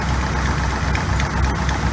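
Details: 1986 GMC Sierra 400 small block V8 after new distributor internals: uneven idle with occasional stumble and loose clatter, smoothing out under power; lifters out of adjustment or carburetor suspected, not confirmed.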